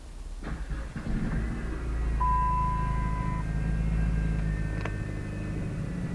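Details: Dodge Caliber 2.4L after a small accident, with the transmission stuck in R and not showing P, started with a workaround. It gives a steady, low engine rumble running evenly with no knocks or misses; the engine runs fine.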